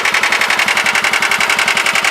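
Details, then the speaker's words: John Deere 180 lawn tractor cold start, unknown hours (possibly 1,000). Quick, even putter at idle with a coarse, raspy edge on each firing pulse; owner notes the rasp, cause unclear. "Yeah, you hear the got a little rasp to it at idle. God only knows how many hours this machine has, really."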